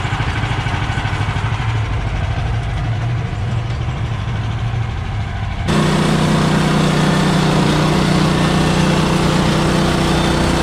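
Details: Bandsaw mill cutting 3/4 x 6 inch boards with a reduced Pine-Sol/water blade lubricant; excess had made the blade jump off the bandwheel belt. Engine idles, then loads into a steady, even cutting drone with no stalling or wobble; cutting normally.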